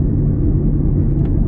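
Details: Car driven at about 20 mph with clamp-on noise-detector sensors on the wheels: a steady deep rumble from bad wheel bearings, and channels two and six read loudest.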